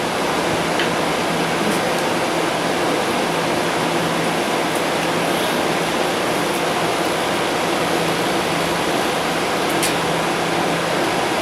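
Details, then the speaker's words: Kenmore 12,000 BTU window AC with metal fan blades, motor needing oil, replacement cord, just switched on: steady even air rush over a low constant hum, no rattles; already blowing cooler, running normally. "Yep, it's blowing cooler already."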